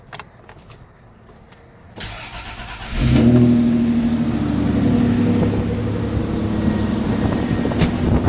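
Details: Toyota 4x4 pickup after starter wiring repair (worn internal wiring, clicking fixed; clutch switch also replaced): short cranking, then the engine catches cleanly and settles into a steady idle with no starter clicking; normal start.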